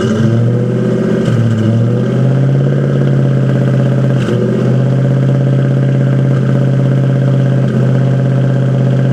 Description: a strange misfire in my mustang that i cannont find.